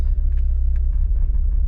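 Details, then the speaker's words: VW Golf MK4 1.8T with fuel pump fuse removed before pump replacement, left idling until it dies: deep uneven idle rumble that pulses and stumbles with no steady beat, lumpy from fuel starvation. "I'll just let it idle until it dies, basically. Oh, oh, oh, oh, oh, oh, oh, oh, oh, oh, it's lumpy, it's lumpy."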